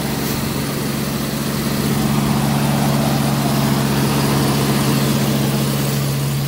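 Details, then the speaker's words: 1992 Jeep Cherokee XJ, no catalytic converter, not started in about three weeks, cold start: steady fast even hum idling around 1,500 rpm, later coming down as it warms; high cold idle, owner unsure if normal. "was only pretty high yeah 1,500 I don't know if it just normally does Matt when it's cold"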